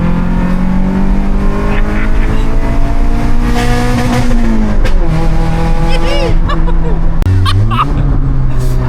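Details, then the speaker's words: VTEC-swapped Honda EJ9 Civic hitting VTEC under hard acceleration: engine climbs through the revs and turns much louder and rasping at the top end; exhaust blowing at the manifold, believed from a failed clamp. "wondered why it went so loud. That's what a Civic should sound like. So luckily oh my god. I said to Ben, I noticed the exhaust was blowing from the manifold because it's basically one of the clamps has failed."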